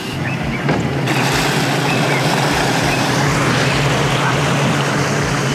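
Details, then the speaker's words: 2000 Mariah boat 7.4 L 454 MPI MerCruiser V8 after hydrolock repair, on the water at marina before sea trial: steady low rumble under wind and water slap, no misses; idles fine, temp 100, oil pressure good, 12 volts. "Oh, got it. It seems fine."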